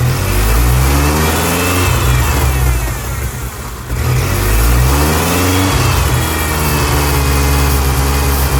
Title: massive vacuum leak on '99 Ford ranger 2.5 July 6, 2024